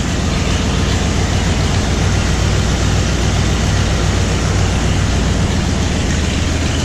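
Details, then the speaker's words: Ford Bronco cold start after sitting about a year: it stumbles a little on startup but fires, then settles into a low, steady, even idle rumble with no misses or knocks; normal idle. "here she strutted a little bit on that startup but she fired he runs smooth purrs like a kitten"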